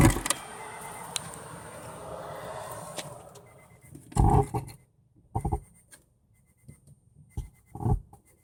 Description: Lately My Subwoofer is making a weird noise! It just sounds like crackling and I just search all over the internet and it doesnt change!